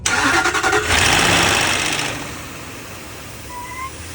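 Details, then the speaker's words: Land Rover Range Rover L322, dead cold start: loud rapid metallic clatter at several beats per second that fades as it settles, severe timing chain slap not heard when driven in earlier. "Totally cold. Start up. We've got some pretty severe timing chain slap noise."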